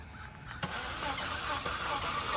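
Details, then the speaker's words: 2013 Chevrolet Sonic at a police impound auction: starter cranks with an uneven churn but the engine never catches; crank no start, speaker thinks it is not sparking, unconfirmed. "That's about all we can get it to do. That's all it can get it to do. It's trying to turn over, but it's just not sparking."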